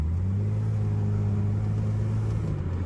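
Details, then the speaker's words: 2011 Lexus IS 350 F Sport just fitted with an RR Racing Stage II supercharger kit, first start after install with lots of dash lights on: smooth, steady idle with a deep even hum, no stumble or miss; normal idle, not yet tested under boost. "uh the car is on and you can hear it sounds pretty cool it runs lots of lights going on but it runs"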